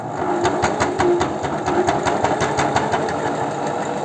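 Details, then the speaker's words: Janome 509 sewing machine, about 15 years old, after repair, sewing a pocket of thick cloth folded into about 5 layers, ~2 mm: fast, even jackhammer-like pounding, about six strokes a second; normal for heavy fabric. "это просто толстая ткань там аж и не знаю 4 раза сложенная вот как выходит на толстую ткань у Я чуть перепугался думал 5 машинку разбирать придется"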